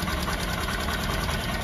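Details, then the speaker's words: Honda SP 125 BS6 motorcycle at idle: quick, light, even ticking over the steady idle, caused by too much exhaust valve tappet play; a loose timing chain was first suspected, and the fix is a feeler-gauge tappet adjustment. "ज्यादा य play है इतना ज्यादा य play है इसी वजह से टिक टिक आवाज करती है"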